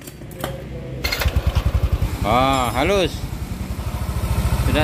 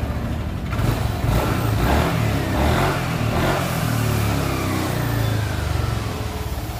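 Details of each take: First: Yamaha NMAX scooter, piston and connecting rod previously replaced: even, quick putter at idle with a short rev, no knocking or rattle left; normal idle. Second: Yamaha NMAX scooter with new piston and connecting rod, still knocking: steady idle with an uneven clattery knock that comes and goes, sounding like a scored piston; mechanic suspects the flywheel magnet.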